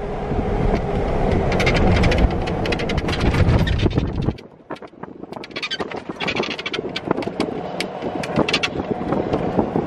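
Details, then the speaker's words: Golf cart with aftermarket extended top rolling on a rough path: irregular creaks, clicks and rattles from metal-on-metal roof mounts lacking insulators. "Majority of the times is due to the metal on metal contact of all these aftermarket tops, unlike the factory top where it's all plastic on metal, so you have that insulator bond in between it."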